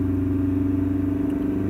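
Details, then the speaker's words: 2006 Toyota Prado 120 diesel, just under 200,000 km, owner thinks it's noisy: engine held steady at 3,000 rpm for fuel pressure target-versus-actual test, even drone with no knocks, misses or whine; pressure slightly under target, suction control valve fine. "the other test is holding it on 3,000 roof so we'll do that"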